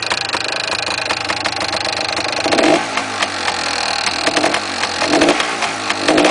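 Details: Yamaha DT400 two-stroke running: a busy metallic rattle over the exhaust note swells in bursts as it revs. The source of this engine rattle is unknown and the owner plans to open the engine.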